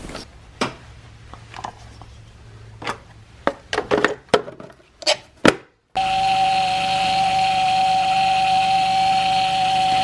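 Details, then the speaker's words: 2006 Chevrolet Impala 3.5L after power steering pump replacement and refill: engine runs with steady mid-pitched whine over rough hiss, noisy at first from air in system; quieted after 5-10 minutes turning wheel lock to lock. "Really noisy at first."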